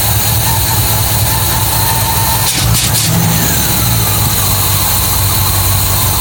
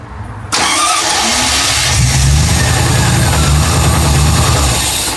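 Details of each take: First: MGB GT V8 just after its first start in neutral, at about 400–500 rpm with 40 psi oil pressure: a low, uneven burble with a brief blip, hunting and stumbling. No air filter is fitted and the carburettors are unbalanced. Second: MGB GT V8 conversion, first start of the V8: brief crank, catches straight away and settles into a steady, even V8 burble with light blips; shut off because the oil pressure gauge had not moved. Normal start and idle.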